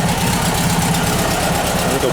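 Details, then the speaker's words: Air-cooled VW Bus flat-four after a valve adjustment, still cold and on choke: a steady, even idle with no valvetrain clatter. A belt is flapping slightly. Normal idle. "I got adjust that belt that belt's flapping a little bit a little coold a come come up off the choke and she'll be good"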